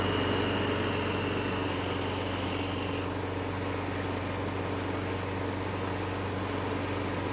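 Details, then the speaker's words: Craftsman self-propelled mower with replacement engine swapped in, testing self-propel after belt check: small single-cylinder engine running at steady, even speed, no misses, knocks or surging; good runner. Normal running. "Good runner. Happy with how that turned out."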